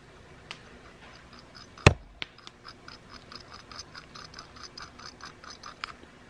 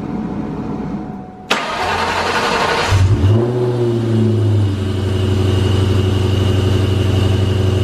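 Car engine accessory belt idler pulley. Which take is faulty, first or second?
first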